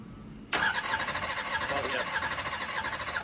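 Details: Nitrous drag-race Camaro after a hard pass: about three seconds of starter cranking with a ragged, uneven compression beat and no firing, fitting a blown head gasket between cylinders.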